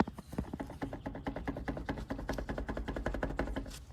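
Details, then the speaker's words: Rear wheel bearings on a 2015 KTM 300 XC dirt bike, wheel rocked back and forth by hand: quick dry clicking knocks, several per second, from worn bearings; the fronts are even worse. Bearings to be replaced. "should not be able to hear that sound that sound is the wheel going like this back and forth back and forth the fronts here are even worse"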